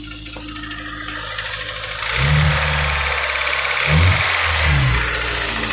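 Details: Honda S2000 AP1 petrol engine running: light, fairly regular tick and rattle over the hum as revs rise.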